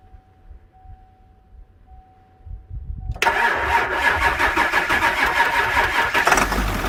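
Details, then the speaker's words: Bus with Ford 7.3 Powerstroke turbo diesel (engine sat for years before install) after fresh oil put into the high-pressure oil pump reservoir; cranks briefly, catches at once, settles into smooth quiet idle, no knock or rattle; much quieter now, normal idle. "so as you can see it's a lot quieter now"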